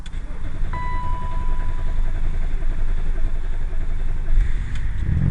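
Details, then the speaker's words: Range Rover L322 with TD6 BMW M57 diesel, first start after reconditioning the turbo: dash chime, then a low rumble that catches and settles into a steady, clean tick-over with no revs, letting the oil feed reach the turbo. "she's fired up. I'll let her tick over. Let that oil feed get into the turbo."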